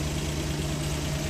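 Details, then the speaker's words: Freshly overhauled Suzuki DA64W turbo K6A with low power. Lumpy, uneven idle with a shaking beat; misfire traced to a spark plug wire found disconnected. "Oh, palyado po gito. Actually palyado."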